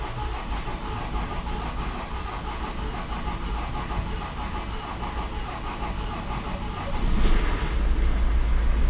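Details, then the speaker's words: Honda CR-V diesel with crank-no-start and injector 3 open-circuit codes, after injector repair and clearing the codes; several seconds of cranking to build rail pressure, then a smooth, even idle on all four cylinders. Normal start and idle. "there we go and there you have it the car is now running on all four cylinders absolutely beautiful"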